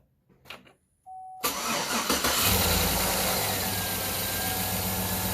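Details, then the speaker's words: 2007 GMC Yukon after cylinder 1 misfire repair (new head gasket, DOD lifter, pushrod) and exhaust bolts fixed: short crank, clean catch, smooth even idle with good oil pressure, no miss and no exhaust leak now, running good. "so now there's no exhaust leak either we fixed those bolts back there before we had an exhaust leak everything's running good"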